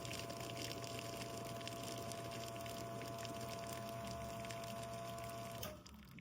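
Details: Espresso machine extraction while checking the pressure gauge (ideal 9–11 bar; other gauge reading 1.2–1.5, normal); steady pump hum with faint even tone and light water trickle, stopping cleanly, healthy pump.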